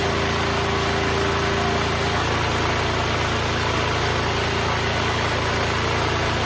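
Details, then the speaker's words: Duromax XP12000EH dual-fuel 12,000 W generator running with no load at 63 Hz: steady, even governed drone with no misses or knocks; running cleanly, dropping to 59 Hz, 121 V under space-heater load. "So the generator is currently running at 63 hertz. Expected to go down a few hertz once I put some load."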